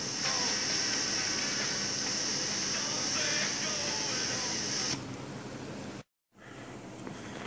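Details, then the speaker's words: Sanyo M4440 cassette player before repair (degraded belts, one channel static, soft or no sound), tape playing held close to microphone; only faint muffled programme sound under steady hiss, owner suspects bad capacitors or preamplifier chips. "okay managed to get some audio I don't know if you can hear it really close to the microphone"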